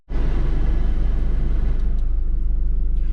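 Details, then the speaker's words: 2008 Mercury Mariner, first start after replacing the failed fuel pump under the rear seat with an OE part: steady, even idle, low regular pulse, no misses, runs healthy. "and here we go fires up seems to run good"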